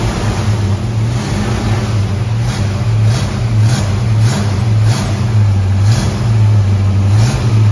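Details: Ford Mustang carbureted V8 running; the cause found was an air leak from the wrong gasket under the 1-inch carb spacer: deep, even burble with a steady lope and no hiss, stumble or hunting, running smoothly and normally.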